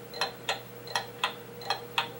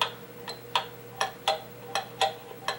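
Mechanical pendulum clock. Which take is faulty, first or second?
first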